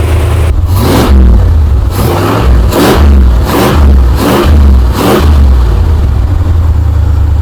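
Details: 1963 Chrysler Newport V8, revived after sitting, idling outside after running in the shop: six quick throttle blips from steady low idle, picking up crisply each time with no stumble or hesitation; clean revving off idle.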